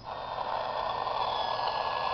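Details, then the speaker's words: Radio near a pulse charger/CFL circuit (modified CFL, ignition coil, reed switches, electromagnet): steady high whine with hiss and static; charger's oscillator interfering with radio reception. "It kind of whines and staticky."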